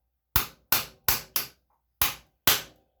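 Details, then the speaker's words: 2009 Honda Foreman ES ATV front wheel bearing being driven in, using the old race as a driver on the outer cage. Six sharp, ringing, solid hammer blows with no hollow rattle show the bearing is fully seated. "did you hear that listen it's solid got her set all the way in there"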